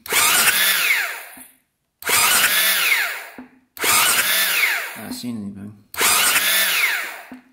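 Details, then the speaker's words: 2001 Husaberg 500 supermoto sitting about 15 years, lubricated before cranking: four short electric-start cranking bursts that never fire; no spark seen at the plug, worn plug wire being cut back. "So that's not good. We're not seeing any spark here."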